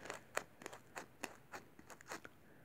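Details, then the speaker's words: Sangean ATS909 AM/FM/SW radio (c. 1996-97) with scratchy, distorted sound, internal speaker flexed by hand: irregular dry scratchy crunches with each cone push, no steady tone; rubbing voice coil, speaker needs replacing. "So in this very short video, I'll show you how to fix a classic Sangean ATS909 that's got scratchy, distorted sound. Now, the problem is coming from the internal speaker."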